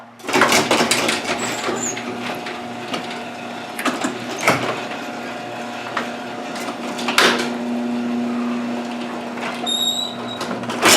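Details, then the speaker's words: Garage door after repair: steady low motor hum with only light clicks and rattles, fairly quiet; hardware reinstalled to stop earlier clicking, though a shot bearing with play remains on the other side. "so now if we did our job correct this should be nice and quiet"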